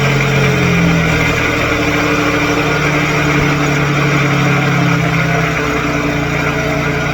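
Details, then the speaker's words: Daewoo Matiz with freshly installed supercharger, warming up at low idle with short revs, only center muffler fitted: loud steady slightly wavering supercharger whine drowning out the exhaust. "louder than my exhaust way louder and i don't have a rear muffler i only have the center one so only one from the two"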